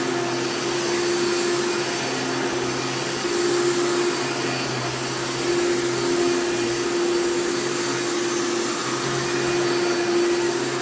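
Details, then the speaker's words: Upright Elite vacuum with a new brush roll: steady whine with a hard buzzing tone cutting in and out over the motor; a worn fan is suspected. "and based on that sound it probably needs a new fan as well because the thing does make a lot of buzzing sounds but you can't really get fans for elites very easily anymore"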